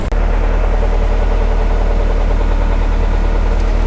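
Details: Nissan 200SX S13 drift car, CA18DET engine, after a road drive: steady idle with a fast, fairly even low knock under the engine note; suspected rod knock, not confirmed.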